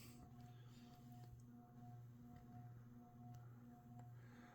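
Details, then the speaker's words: Hampton Bay Grayton II 42" ceiling fan on low speed: steady low hum with a faint higher whine; electrical hum from the motor, suspected poor build quality. "for some reason I think all these great twos have a tendency to make an electrical hum to them like this likely poor build quality"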